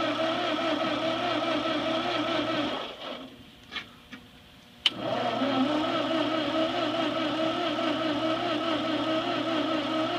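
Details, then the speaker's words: Ford 8N tractor that sat 4-5 years: steady laboring starter churn with no firing, then a pause. Cranks but won't start despite power at the coil and carb cleaner sprayed; owner suspects no spark from bad points. "so I'm thinking we don't have any Spark so most likely we got problems with the points"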